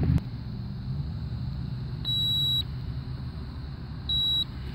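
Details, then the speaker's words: Goodman package HVAC unit installed 2009, blank thermostat; megohmmeter on compressor circuit at contactor gives two clear beeps over low rumble, continuity to ground, a dead short; compressor leads to be disconnected and retested. "that's a dead short let's see where it's at"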